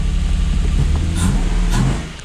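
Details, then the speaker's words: Lexus IS200 in neutral/auto at idle, code P0301 cylinder 1 misfire, warning light currently off: uneven, lumpy low idle with irregular stumbles in the firing beat; cylinder dropping out from a faulty ignition coil. "yeah it's definitely not right there's no warning light on at the moment but it's definitely not running right a very slight mid"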